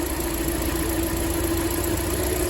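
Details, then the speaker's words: Hyundai Elantra at idle, running on three cylinders with no fault codes, engine opened twice without fixing it: uneven stumbling idle with irregular low thump under a steady hum from the exhaust, misfire. "Осылай көлік істеп тұр міне, перевоймен. Осы глушительден уже 3 цилиндрмен істеп тұрған белгісі бар да. Ана глушительден өзінің дауысы бар."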